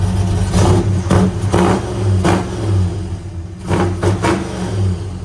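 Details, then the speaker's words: 429 Ford big block V8 with Holley Sniper EFI, Hooker Super Competition headers, MSD parts; deep idle with slight lope, snapping up in quick sharp revs and dropping straight back; snappy, touchy throttle, running healthy. "wow that is snappy it's extremely touchy wow it's definitely got a little bit of a lumpiness to it too"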